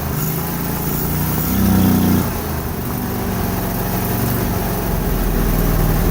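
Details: Propane-fuelled Vanguard engine with a propane venturi, still warm and recently had valves redone: deep, even throb holding a steady speed with one short rev blip, running cleanly without misses; normal running.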